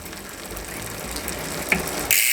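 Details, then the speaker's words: Trek Roscoe 8 warranty replacement rear hub with sealed bearings, wheel spun to freewheel: fast fine even pawl clicking, no grinding or bearing noise; hub sounds healthy, better than the Roscoe 7 hub. "now if you are a rosco seven owner in this case uh obviously you can tell this hub sounds a lot better um as far as the the poles in it and the engagement"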